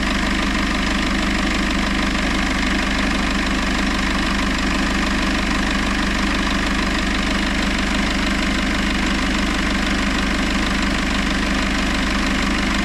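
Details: Citroën C4 Grand Picasso 2.0 BlueHDi 150 diesel after head gasket repair and engine refit, idling in Park at 60°C oil temperature during the gearbox oil change: even clatter of about three beats a second holding constant. Smooth, healthy idle.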